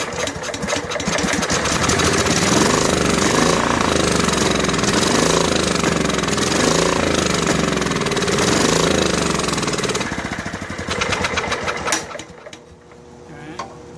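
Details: Snapper SR1433 rear-engine rider, sat 8 years, fuel line primed into filter: runs rough and uneven about ten seconds, then sags and dies; fuel-starved carburetor, needle later found badly stuck in seat before carb rebuild.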